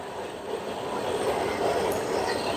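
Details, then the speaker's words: Whirlpool stacked direct-drive washer after replacing the transmission, which had leaked oil from a bad seal: soft, steady churning hum with no grinding, clunks or whine while agitating with water; quiet new transmission, no oil drips. "That's quiet. That's the sound of a brand new transmission. Nice and quiet."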